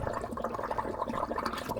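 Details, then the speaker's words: Leaking fitting on an isolated water supply pipe to the garages, found during leak detection and made worse by the tracer-gas test. Steady gurgling, spraying rush of escaping water; the fitting's rubber insert looked poor. "quite a big leak I think I've made it worse by using the gases Disturbed the fit in a bit more"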